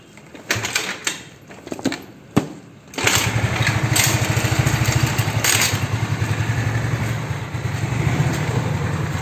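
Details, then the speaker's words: Honda Beat carburetor scooter after replacing worn, loose valve rocker arms and pins, plus gasket: after handling knocks it catches and settles into steady, even idle, no top-end ticking; head noise gone after three days, now normal. "sumpah ini gua bahagia banget ya seharian tiga hari tiga hari ini motor headnya itu berisik terus ini baru normal sekarang nih hari ketiga"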